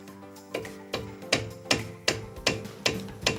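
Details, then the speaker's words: Mazda CX-5 under warranty, knocking appeared after caliper repair; front left caliper: sharp, evenly spaced metallic knocks about 2.5 per second as the brake pad beats the caliper body, guides have no play. "Вот стук. Также колодка бьёт по суппорту."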